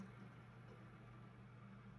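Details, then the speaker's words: PC case cooler after lubricating its bearing without disassembly: quiet steady low hum, no rustling or rattle, fan now running smoothly and normally. "наслаждаемся тишиной и спокойствием никаких шуршаний дребезжани и тому подобного все тихо и штатно"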